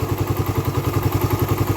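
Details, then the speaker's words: Raider 150 carb, fully hot engine at idle: quick, even ticking of about six a second from the top end, quiet when cold; owner suspects compression release or cam chain tensioner, cause unconfirmed. "na talagaa siya ayan kumakalas na siya ng ganyan pa-comment naman Guys kung Ano yun para malaman natin"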